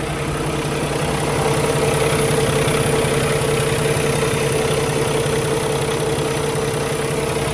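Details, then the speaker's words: 2016 Kenworth T680 with a Paccar MX13 485hp and 13-speed manual at idle. A steady low diesel clatter with none of the ticking some Paccars develop, and no blow-by at the oil filler. Healthy, normal idle. "So one of the things to listen for on one of these engines is a ticking noise, and I don't hear it on this one, which is good. Sounds perfectly normal to me."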